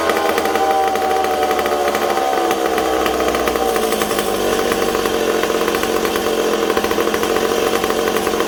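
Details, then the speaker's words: McCulloch Super Pro 70 chainsaw on bench with suspected intake leak: high buzz whose pitch hunts and sags over a few seconds; erratic idle, owner suspects leaking decompression valve, cause unconfirmed. "wow you guys hear how it's kind of all over the place i almost wonder if this peacock's leaking"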